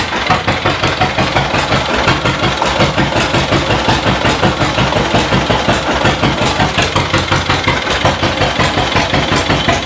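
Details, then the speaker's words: 1936 John Deere Model A with a mostly rebuilt two-cylinder engine, first run in decades after hand cranking: a slow, even putting with no knocks or misses. It is warming up while residual oil and copper coating burn off. "It runs. Sounds good. That's just oil and stuff in there, that residual oil getting hot, but And that copper coating burning Yeah. off too."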